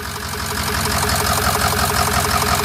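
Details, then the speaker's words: Flatbed truck at about 213,379 odometer, idling with hood open: uneven stumbling idle with irregular lumpy exhaust beats; misfire getting worse, cause unknown. "that sounds terrible now it's running bad island now it's definitely getting worse"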